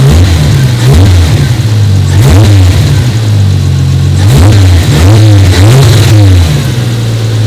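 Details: 1993 Toyota Supra RZ JZA80, 2JZ-GTE twin turbo, Blitz ECU and exhaust, cold and not fully warmed up, being checked for a misfire and hunting idle: revs up and settles back cleanly, even firing with no stumble or miss; normal revving.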